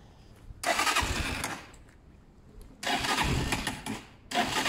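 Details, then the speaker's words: Zontes 125 motorcycle with tank full of rust, twigs and water; fires in short bursts then dies each time as fuel flow through the filter falters; tank needs a full flush, fuel starvation. "oh I can see he's foaming or was flowing see there's the problem again"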